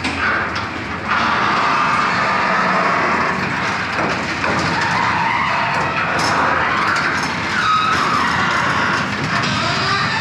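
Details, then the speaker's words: Garage door rumbling along its track with repeated squeaks and groans from dry rollers and hinges needing lubrication. "if you've been in your house for about a year you're probably due to take care of your garage door and it may be making some squeak noises like that"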